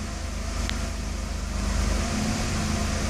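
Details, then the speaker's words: 1992 Mercedes S600 V12, early production, with limp mode deliberately induced (ASR fault, throttle bodies). The low idle swells and settles on its own instead of holding steady, because the throttles do not control idle. Unsteady idle in limp mode. "it jumps by itself because throttles do not control [Music] idle"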